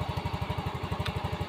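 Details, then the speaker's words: Yamaha Mio M3 fuel-injected scooter that previously died when throttled, now starting and revving normally after the battery was charged: steady, even low putt-putt at about twelve beats a second, no stalling or stumbling. "nah motornya sudah mau digas hidupnya juga sudah normal tidak mati-mati lagi"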